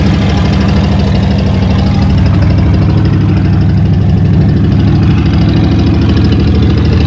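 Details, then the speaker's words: Old Ford truck idling on its own after blocked gas line replaced with rubber line and filter; fuel leak noted; loud steady low rumble, even idle, no stumbling or misses; normal running. "Oh, she's talking to us."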